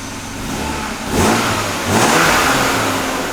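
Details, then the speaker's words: 1997 BMW E36 M3 sedan after installing a refurbished AC Schnitzer muffler: two quick revs, quiet smooth exhaust, no puffing or ticking from leaks. "Ooh, still nice and quiet. Alright, let's take a closer look. Nice, so I'm actually pretty stoked that it's not loud at all."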